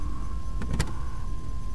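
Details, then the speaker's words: 1993 Chevy Blazer just after fuel pump replacement and reinstall: at key-on a thin, steady hum with one brief clunk midway as the fuel pump primes normally. "Cut Off turn it on again do it"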